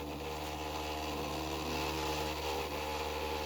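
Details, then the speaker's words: 3D-printed maglev spinner motor at 12.3 V, 0.10 A, about 4,000 rpm: steady high hum with buzzing rattle; noise suspected from the homemade stand vibrating, needs rubber feet, not the motor itself. "it's making a lot of noise but that's because of the the stand i have it on or the stand that i built for i got to put some rubber feet on there"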